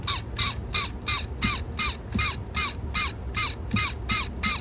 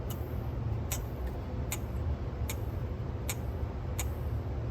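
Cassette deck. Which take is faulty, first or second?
first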